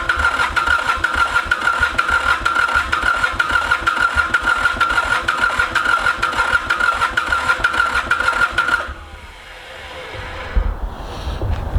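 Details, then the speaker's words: Ransomes Bobcat diesel mower, Mitsubishi K3D engine, first start attempt after 9 years, starter getting very hot, smoke changing black to white to black: steady even cranking chug for about nine seconds that never catches; crank no-start. "we're gonna give this another about five-second crank and then we're done starters getting really hot so I need to knock it off who wants to go pretty bad though I can tell"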